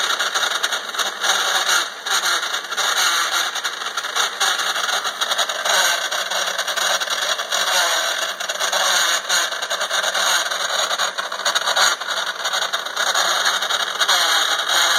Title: Bevel Gear Noise